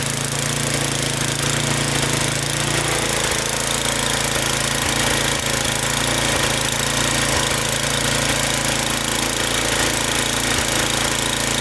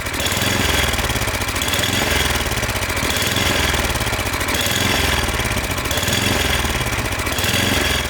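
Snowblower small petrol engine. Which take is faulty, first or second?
second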